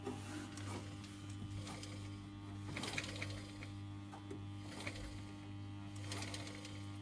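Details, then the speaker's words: Westinghouse Mastermind LF700B washing machine in test mode, inlets off: the motor buzzes with a steady low mains hum and light clicks and rattles but won't turn even when nudged; the drum never picks up speed. Cause not yet found. "So it should be trying to turn the motor here. So you can hear that buzzing. But it won't turn."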